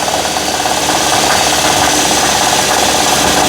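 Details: 2012 Nissan Murano at fast idle, microphone near the wobbling bottom AC compressor pulley: loud whirring rattle with steady mid-pitched whine pulsing about three times a second; failing AC compressor hub bearing, compressor also leaking; compressor replaced.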